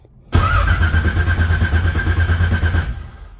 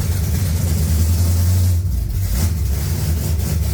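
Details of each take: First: 1980 Pontiac Trans Am V8, first start after distributor install and TH400 build: starter cranks in rapid steady pulses about two seconds without catching; no fuel pressure yet, cranking to fill carburettor float bowls. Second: 1980 Pontiac Trans Am V8 after distributor install, head work and new TH400 build: deep steady rumble with smooth throttle blips, no top-end ticking or knocking; runs clean and healthy.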